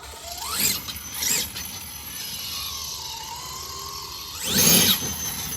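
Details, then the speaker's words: Raminator RC truck fitted with Vitavon SCX6 transmission, 70mm motor on 12s, Hobbywing Max4 ESC, 560kv, 25-tooth pinion, running about 30 lb heavier than planned, test before drive shaft fitted: motor whine rises and falls with throttle, gears hum evenly, no grinding; transmission handles load well. "All right, that sounded good. Okay, trans is taking that pretty good."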